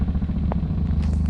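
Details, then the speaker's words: Toyota Altis: steady low idle hum with a faint fast buzzing rattle on top. The vibration is stronger at idle and was heard from inside the car. It points to a loose engine cover rather than the engine mounts. "Actually mas malakas yung vibration kapag naka-minor yung makina."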